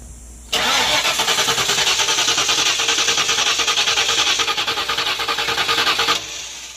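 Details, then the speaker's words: 1994 Ford Mustang GT convertible cranking while being jump-started (battery about 11.7–11.8 V, new coil): steady starter cranking that never catches; spark extremely weak, owner thinks not the coil or distributor; crank no start, weak spark. "Still won't start. Still extremely weak spark."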